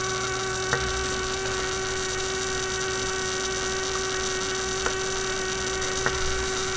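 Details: Constant low buzzy hum from a 1967 Heathkit Electronic Projects Kit AM transmitter build; the noise continued with wires and coil disconnected, so the bench power supply was the source of the mains hum.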